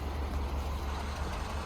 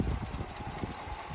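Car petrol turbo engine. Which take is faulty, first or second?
second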